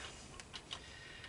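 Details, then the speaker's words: Honda ATC200M three-wheeler, engine turned slowly by hand: a few light, sharp ticks as the exhaust and intake valves slap; valve clearance is loose enough for the valves to close. "So, we know the exhaust valve is slapping, which means it's loose enough to close. Now for the intake. The intake's loose."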